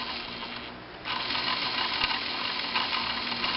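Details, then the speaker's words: Pfaff 1222E sewing machine with cam stack engaged off the diamond position: steady light whir with fast fine clicking about four per second as the ratchet steps the cams; normal operation. "And now you see this starting to ratchet around. And when that ratchets around, that makes these cams go around."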